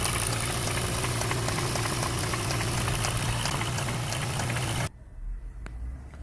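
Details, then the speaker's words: 2019 Hyundai Sonata DN8 gasoline engine with very loud noise before teardown: rough running with a hard, uneven knock of about three to four hits per second beneath it, from worn rod bearings knocking. "엔진 소음이 엄청납니다 가솔린 엔진에서 이런 소리가 날까요 엄청나 와 엔진이 깨지는 소리가 나는데요 도대체 왜 그런 걸까요"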